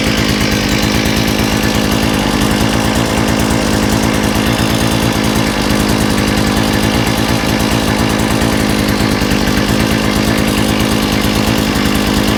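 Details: Small two-stroke saw engine with a new carburetor, after correcting reversed fuel pickups and removing a kink in the fuel line, holds a steady, even high buzz with no stumbling or surging; normal running.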